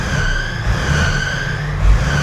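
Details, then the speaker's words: Volvo L60E wheel loader diesel at idle, warming up before a 2000-hour service: a constant high squeal rides on the low steady idle, from worn, slipping drive belts screeching; all belts are to be replaced. "no more screeching."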